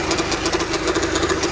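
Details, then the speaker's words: 2005 Honda Civic with replaced engine, idling while steering held hard left: steady pulsing hum and mid-pitched drone, bearing noise heard; power steering pump suspected of not assisting, causing clunk and hard steering on left U-turns. Noise when turning steering. "you can clearly hear the bearings even though you push the steering uh you turn this turn to the left the pump is not helping"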